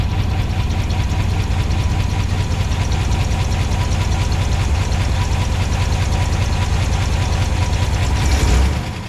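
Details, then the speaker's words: 1969 Chevelle wagon, retired race car, oil pan held wrist pin, ring and piston pieces; deep loping V8 idle with uneven beat and clattery top end, suspected dead cylinder misfire, not confirmed. "Sounds like he's got a misfire dead hole. But there's a horn moving there though. The idle is just not happy."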